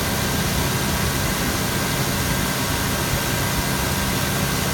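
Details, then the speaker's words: 2000 GMC Yukon 5.7L Vortec V8 at 163,011 miles, no smoke: steady, even low rumble with no knocks, ticks or stumbles; runs excellent. "163,000 miles. As you can hear, it runs excellent. Tested."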